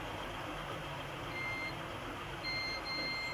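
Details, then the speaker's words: Oppo A16 dead phone, multimeter continuity test near the charging IC, one probe on ground and one on the VPH line: two short, steady high beeps over a quiet hiss, showing the VPH power line is shorted. "य देख पा रहे आप ये shutting नजर आ रहा दोनों side में बीप की आवाज आ रही है"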